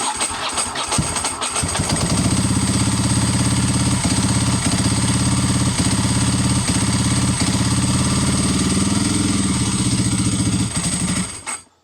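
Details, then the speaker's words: Ducati 748 that dies and stumbles under 2,000 rpm, started with kickstand up while testing kickstand switch and ignition relay: rough, uneven firing with dips and catches as revs hang low, nearly stalling; cause unconfirmed. "It's like that. There's like this weird stumble."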